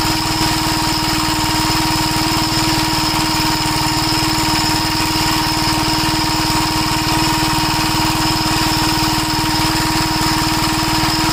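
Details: 1961 Gravely Model L tractor carburetor fuel leaks from the inlet, with the float suspected. Its small single-cylinder engine thumps steadily at idle with a faint whistle and irregular pops. It acts lean and keeps popping however much it is richened.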